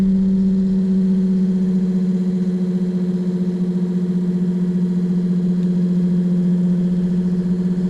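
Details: Excursion/Bison 24V 86lb-thrust trolling motor after melted brush holder replacement and water-ingress repair, bench-tested through speed settings: smooth, steady electric hum, clean even tone, no scraping or crackle; normal running.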